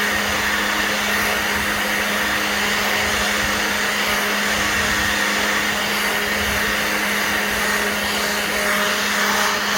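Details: Black+Decker 20V cordless blower/sweeper running on a fresh battery: a strong, steady high rushing whine with an even motor tone and no sagging; the blower runs at full power.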